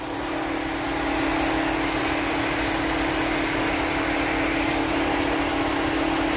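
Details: 2011 Ford Edge at idle: steady whine with a slightly uneven, stumbling beat, about two and a half per second. Intermittent cylinder 6 misfire with a stored code, which the mechanic attributes to the engine computer.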